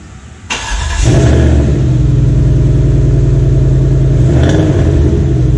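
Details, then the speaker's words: Restored 1993 Cadillac Seville 4.6L Northstar V8, restarted the next day after rebuild and installation, heard from the rear of the car: cranks briefly, catches cleanly and settles into a steady, even low idle with no misses or knocks; running properly. "Et à l'arrière, vous pouvez entendre mieux le bruit du moteur. Hein. Donc ça devrait le faire. On va le faire tourner un peu au ralenti et voir comment il tourne."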